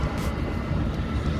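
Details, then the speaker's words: Audi A8 Webasto parking heater at full throttle after a sensor fix: steady low roar of burner and fan over outdoor noise, running normally and warming the car; fault had given no VCDS error code. "It's a little bit noisy here, but you can hear it doing the job."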